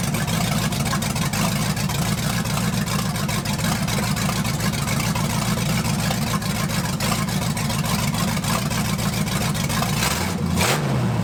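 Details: 1980 Dodge short-bed truck with big-block V8, first run in 14 years, during cam break-in after points-to-electronic-ignition conversion: deep, steady rumble with even beat, no knocks or misses; running smoothly and healthy.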